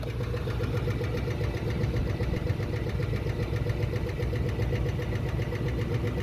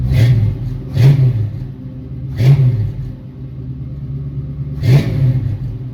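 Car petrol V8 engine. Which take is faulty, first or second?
first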